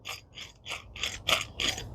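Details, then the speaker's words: 2011 Ford Focus rear hub turned by hand; about six gritty rasping bursts in two seconds from grainy needle bearings on the inner bearing, with lots of axial play; worn wheel bearing, not completely gone, hub being replaced. "but um these there's definitely something, you know, these things have seen better days. It's going right. It's not completely gone, but it's going."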